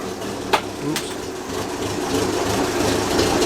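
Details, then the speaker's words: 1932 Morris Minor four-cylinder sidevalve on a 6 V battery, choke partly in, with little exhaust fitted and no coolant: uneven but steady putter with a raw open note; normal running. "that's not too bad considering there's not much exhaust on it it's all right that sounds all right like this that doesn't sound bad at all"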